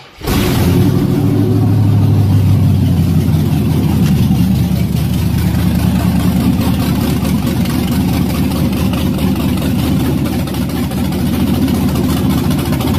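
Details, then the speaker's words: 1968 Chevy C10 frame-off with low-mileage 5.3 LS V8 swap and overdrive transmission, throttle body cleaned: deep even burble at idle, pulls up cleanly on throttle with no knocks or ticks, good oil pressure; normal idle and revving. "clean the throttle body up um it runs it sounds good got good oil pressure"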